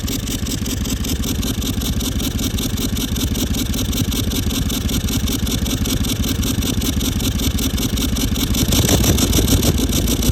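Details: 200 Series 1VD turbo diesel, oil changed every 5000 km with full synthetic, driving: siren-like noise and exhaust smoke; rough busy idle with faint high thin whine from a failed turbocharger.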